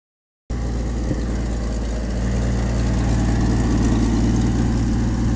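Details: Classic American car, engine warm from earlier driving, restarted after a tune-up with the air cleaner refitted: it settles into a smooth, even idle with a steady low rumble and no misses or ticks. It runs healthy.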